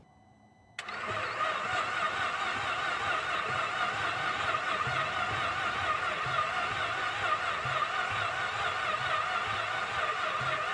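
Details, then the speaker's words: 2008 Cadillac CTS4 engine reassembled in chassis after valve/piston damage, junkyard pistons fitted; starter cranks fast and steady but never catches, no fuel because the fuel rail injector harness was left unplugged. "I think I just found the problem. This fuel rail harness wasn't even plugged in."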